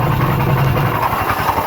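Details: GY6 scooter grinding when running and on throttle; it accelerates slowly, cuts out, then clanks and won't start. Rough, gritty grinding over an uneven idle. Variator or crank bearing suspected, unconfirmed.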